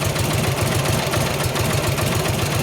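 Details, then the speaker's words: 1953 Harley-Davidson 74ci Panhead, kick-started during a tune-up, still cold, after distributor timing changes: idle comes in lumpy, uneven beats with no steady rhythm. It runs rough and the adjustment didn't help; the cause is unclear. "Put pressure on it and leave pressure on it and kick on it. Like Ain't good, didn't help it."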